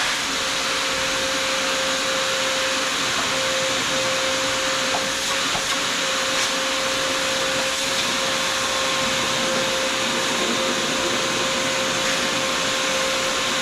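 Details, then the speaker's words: Shop vacuum used while servicing a Troy-Bilt Pony riding mower, after it sucked up something that clogged it: steady high whistle over the vacuum's rushing air throughout. Clogged intake whistle. "Look in here, I sucked something up that kind of clogged it up."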